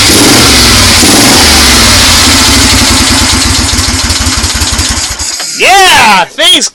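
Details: 1970 Moto Guzzi Ambassador V-twin, first start after full rebuild and correcting badly off distributor timing by swapping plug leads: fires and revs cleanly with even rising beat then shuts off; normal running.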